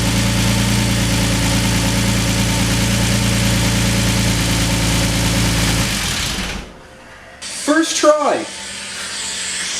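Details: BMW E46 M54 first start after rebuild, run without a belt and with coolant not yet bled: it catches and runs about six seconds with busy light ticking over a steady idle, then shuts off. Valvetrain noise, cause unknown; some of it later went away.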